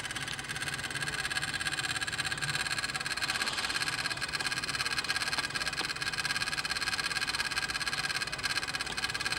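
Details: Toyota Hilux 3.0L 1KD-FTV diesel, key switched to ON, engine not running: rapid, steady clicking about three or four a second from a part in the engine bay, not the starter.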